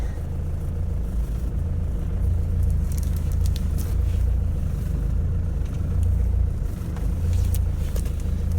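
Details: Ford Transit mk6 on a test drive in gear under load after replacing the prop shaft centre bearing (MOT failure); only low, smooth road rumble, no whine, drone or knock: healthy centre bearing, normal.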